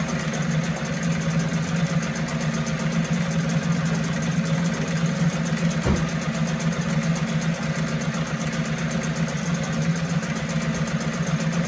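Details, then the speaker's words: 1974 Mercury 4 hp single-cylinder two-stroke outboard, made in USA, revived after long storage: steady, even buzzing run with constant low drone, no misses, knocks or surging; sweet easy-starting machine, normal running. "it don't get any better than that that is a sweet easy starting machine"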